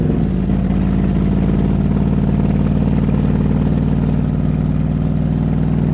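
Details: Cobra at idle: loud, lumpy low idle with an uneven, stumbling beat instead of a smooth hum. Sounds like a cylinder misfiring.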